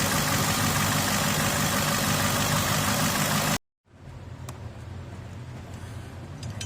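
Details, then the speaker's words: 2007 Cadillac DTS started after water pump pulley replacement: rough idle with an uneven stumble about four times a second, then a cut and quieter restart; misfire at idle, head gasket suspected mildly blown, not confirmed. "Feel that misfire. The misfire ain't a good sign. Seems like the head gasket may have mildly been blown."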